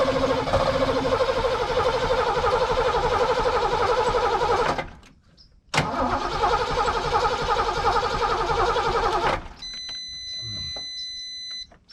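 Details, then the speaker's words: 1989 Ford Mustang GT 5.0 Fox body started from a jump pack: two long cranking runs at about four turns a second, each slowing and fading out as the pack runs low. The engine dies whenever throttle is given. "Maybe not enough. We're actually starting to run out of juice."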